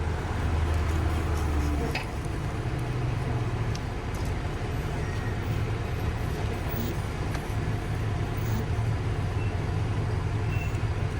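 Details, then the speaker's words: Tucker snow cat, first run after work to make it meter fuel, before tune-up and oil change: deep, steady low rumble holding an even idle with no stumbling or surging; normal idle. "well it runs it idles it meters fuel fantastic we still got to do a whole bunch of tuneup goodies to it"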